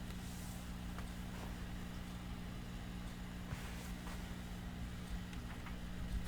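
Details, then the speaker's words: 1937 Philco 37-93 cathedral radio, about 85 years old and unrestored, first powered up at reduced voltage of around 90 volts: the speaker comes alive with a steady low mains hum and faint hiss, no station tuned. "the magic voltage here is usually if i put this around 90 volts the speaker comes to life"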